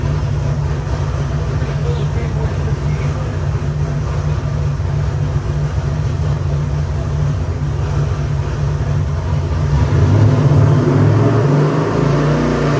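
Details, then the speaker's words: Rebuilt Chevy 454 big-block, 500 hp, Sniper 2 fuel injection, for a '65 Corvette, on the dyno: deep, strong rumble holding steady with no tapping or misfire, picking up slightly toward the end; runs healthy. "We're going to fire it up, give you a run demo. Runs great."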